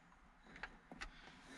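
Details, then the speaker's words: 2003 Volvo XC90 6-disc CD changer in the head unit showing DECK ERROR. Faint whirring and soft clicks on an eject attempt, but no disc comes out; an internal fault is suspected. "and it's doing something different to what it were before but I suspect there's a there's an internal fault with the uh with the dis player"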